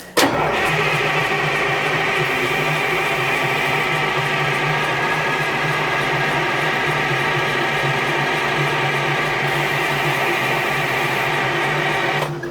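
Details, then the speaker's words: Detroit diesel dragline engine idle 13 years, about twelve seconds of steady cranking that never catches; air intake shutdown flapper found closed, starving it of air: cranks but no start. "Daggone. Something ain't connecting. Is there another switch to cut off? Maybe I found it, Hank. All right, I got the camera right here, but this was closed. Yeah, the flapper. On the air."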